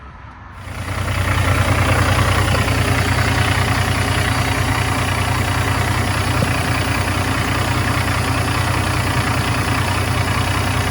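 Catches within a second of cranking, then holds a steady, even diesel idle with no knocking, hunting or stumble; sounds healthy.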